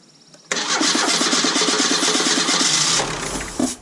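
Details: Low-mileage Merkur XR4Ti sitting at least 10 years, first crank attempts: steady starter cranking at about three and a half turns a second, never catches; no fuel priming, fuel delivery suspected, not confirmed, inertia switch to be checked.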